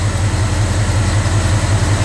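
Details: Old-school small-block Chevy V8 right after a mechanical fuel pump replacement, no leaks: a steady, even lope at idle with a smooth regular low pulse and no misses or ticks. The engine idles normally.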